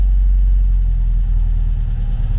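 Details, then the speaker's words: 1974 VW Beetle 1915cc air-cooled engine on MaxxECU EFI, after lowering the lambda table and richening the mixture: low, even idle that stopped hunting and stabilized; normal idle. "the engine started to it stopped hunting and started to kind of stabilize."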